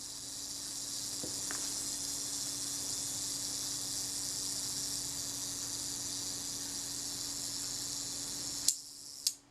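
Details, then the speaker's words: Kodak Retinette II film camera during service, self-timer buzzes about nine seconds then shutter fires at a quarter-second setting with two clicks half a second apart; shutter seems a bit slow, speeds need adjustment. "shutter fired now that shutter speed does it sit at the moment is a quarter of a second and that seemed a bit slow for me"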